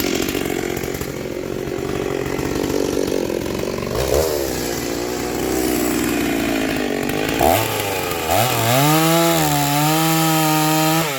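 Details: Stihl 036 chainsaw rebuilt with aftermarket Meteor piston and cylinder, new crank bearings and seals, muffler, clutch, rebuilt OEM carb: fires and settles into a clean, even two-stroke note rising smoothly with throttle; healthy running.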